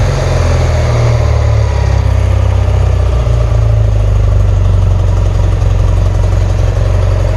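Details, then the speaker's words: 1977 BMW R100S twin, warm and just started, choke still on: deep, steady low thrum with an even pulse and no misses or rattles. Normal warm idle. "So there we go. We're on right now. I need to take the choke off, obviously, but this is what it sounds like. Not bad, I think."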